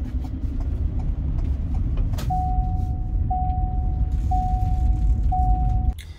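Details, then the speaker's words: 2021 Ford Transit EcoBoost van idling with driver's seatbelt unbuckled: steady mid-pitched chime pulsing about once a second over the idling engine rumble; unbuckled-seatbelt reminder. "You don't have your seatbelt in, and this thing just starts dinging furiously at you."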